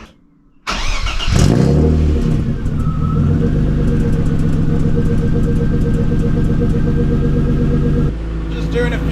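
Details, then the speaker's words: BMW E30 after power steering work on a leaking, fluid-drenched steering rack: engine settles into a steady even idle with no whine from the new power steering pump, which had sounded bad until the system bled through; running quietly now. "it seems okay it's not making that horrible noise anymore but I guess it was just bleeding up"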